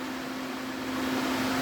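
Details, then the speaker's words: DA Integra electric cooling fan on a new 30A relay with factory OEM fan switch: strong steady whoosh, constant low hum, no rubbing or ticking; paper test shows it sucks air, correct polarity; normal. "but as you can see it is sucking the air cuz it's pushing it this way"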